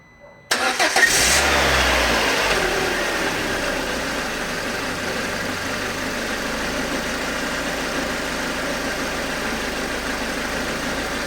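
Engine cranks, catches and settles into idle with a light, fairly regular tick about three times a second; odd noise, cause unclear.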